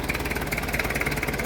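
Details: Diesel engine that was hard to start, idling after glow plug testing and a 7-10 second glow before starting: a quick, even diesel clatter at steady idle with no misses or stumbles; it runs cleanly.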